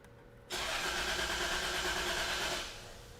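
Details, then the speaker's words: 1999 Toyota 4Runner with rough idle and cylinder misfire code (misfired only when hot): starter spins about two seconds but engine never fires, because the PCM was left unplugged. "okay we're not starting yet and that's because I didn't plug the PCM back in"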